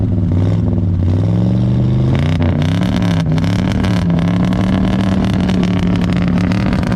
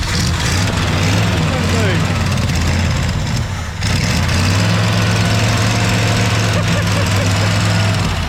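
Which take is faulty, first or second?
second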